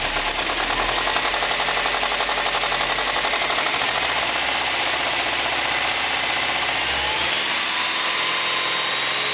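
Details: Subaru STI engine knock at idle and on revs that sounds like rod knock, piston slap or a spun bearing; the noise was a bad belt tensioner.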